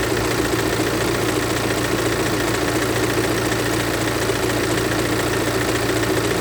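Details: BMW F45/F48 Active Tourer 218d, 2.0 diesel B47C20A, 150 PS, idling with a steady, fairly loose clatter riding over the run; something rattling in the engine, cause not pinned down.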